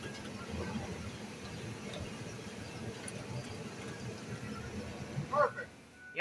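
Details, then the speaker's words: Ford Econoline van front end after radius arm bushing replacement, rolling forward and backward: only soft, even road and engine noise, no squeak or clunk; quiet, healthy suspension. "I don't hear any more sounds perfect"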